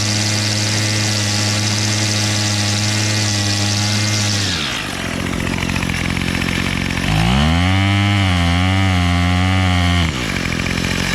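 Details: Bolens MTD BL-160 25cc two-stroke weed trimmer after carburetor cleaning and low/high mixture screw adjustment, choke off: smooth steady full-throttle buzz, drops back cleanly to idle, picks up and holds evenly again; running healthy.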